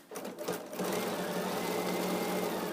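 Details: Sewing machine stitching seams after the bobbin, previously incorrectly inserted, was pulled and reseated: quick, even needle chatter with steady motor hum in a small room; stitches smoothly, normal stitching.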